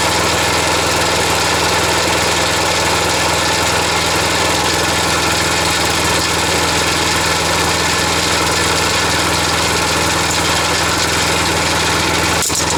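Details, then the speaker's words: Wolf GTAB4M mower being repaired (handlebar pivot, drive, blade adapter), held at a steady fast idle. A harsh, gritty mechanical rattle that does not come from the engine itself. "que ça fait du bruit c'est pas au niveau du moteur"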